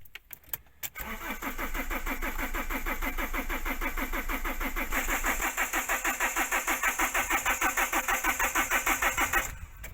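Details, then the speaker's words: Fiat Doblo 1.9 JTD common-rail diesel cranks steadily for about eight seconds but never catches, only a small puff of smoke out back; starts only with a fully charged battery or when rolled downhill, pointing to insufficient rail pressure. "So he didn't start, you only saw a small cloud at the back. But it would start with a blazing battery and when you roll it down the hill and it all points to the rail pressure not being high enough."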